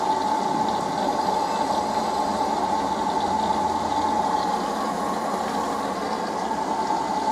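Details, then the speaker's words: LG F1029SDR direct-drive inverter washing machine with LE/UE/CE motor errors: harsh rushing drone with thin whine, never smooth rotation; motor blocked, only turns slightly one way; the error indicates motor seizure or a failed component. "такой неприятный звук вот а вот оно то есть мотор должен крутиться а его блокирует и он по одну сторону чуть прокрутится"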